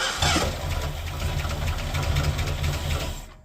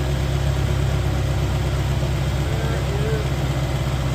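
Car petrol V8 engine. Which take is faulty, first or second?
first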